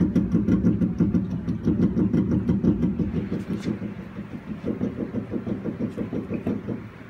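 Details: Rapid metallic knocks, about three a second, as the rear axle of a raised 2016 Chevy Colorado Z71 on stands is rocked by hand; owner suspected the differential, but the dealer found recalled rear leaf springs, replaced under warranty, fixing it.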